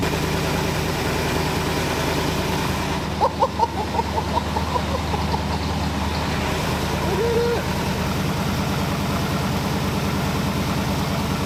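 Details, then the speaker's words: 1981 Oldsmobile Cutlass Supreme with swapped small-block V8, new headers, during cam break-in after starter fix: deep even V8 burble with steady firing and sharp throttle blips; sounds good, normal running and revving. "well any contaminants that may have been in there have now been shot out of the valve cover man that sounds good"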